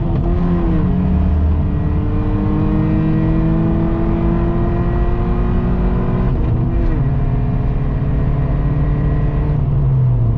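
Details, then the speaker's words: Worn Subaru Impreza daily driver doing hard pulls: loud, raspy exhaust rising in pitch with a brief dip at the shift, and the clutch chatters because the flywheel is not straight; clutch chatter from warped flywheel. "Flywheel's not very straight either, so it kind of likes to chatter."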